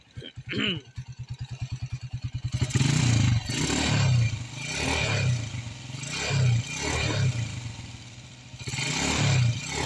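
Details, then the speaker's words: Honda XRM 125 kick-started and revved in bursts: loose metallic clatter over the exhaust that rises with revs, like stones grinding inside the engine; cause suspected. "pakinggan natin angar ng xr m 125 na to Dahil parang may ginigiling na bato sa loob ng [Palakpakan] makina"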